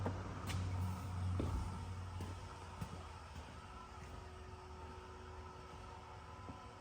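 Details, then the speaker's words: Duramax diesel truck, first key-on after about a year with the engine out, engine off: quiet steady electric hum with light clicks from the 220 GPH fuel lift pump priming normally. "hearing the lift pump. I'm hearing that old girl, that 220 GPH."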